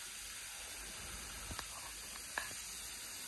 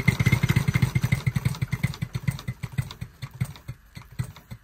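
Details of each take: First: Live steam Bantam model locomotive on compressed air from a fridge compressor, in gear, after rod rebushing with new unoiled bushes: steady high airy hiss with faint clicks; cylinder glands leaking badly, only temporarily repacked with PTFE. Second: Bantam live-steam model locomotive running on air after its rods were rebushed with new pins; even, crisp exhaust beats at about two per second slow and fade as the air eases off, with no knocks, running much better.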